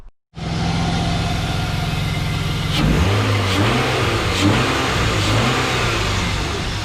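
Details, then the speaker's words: BMW E34 with M50 engine after oil change to 10W-40, which cured a loud lifter tick from incorrect oil: starts, settles, then takes throttle blips with a smooth even note and no top-end ticking; slight exhaust leak remains. "finished off the oil change i put in the 10w40 and this motor is quiet as can be the thing sounds great it's running great"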